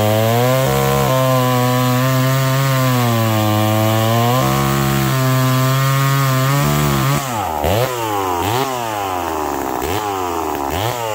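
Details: McCulloch Pro Mac 1010 two-stroke chainsaw with a freshly sharpened chain. A crisp scream holds revs under load, sagging slightly in each cut and snapping back clean between cuts. It cuts strongly.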